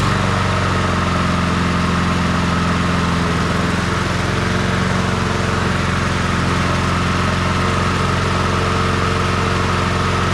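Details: Revived Honda HRR216 push mower started on choke after reassembly: a steady, even drone from the small single-cylinder engine with no misses, knocks or surging; it runs healthy.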